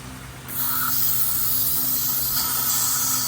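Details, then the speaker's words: BMW 325i bought damaged at auction, just shut off after running with many leaks: steady hiss of escaping pressure with smoke; owner suspects the engine was cooked. "Okay, I really don't like that we instantly have pressure and smoke coming out, but that is not a good sign."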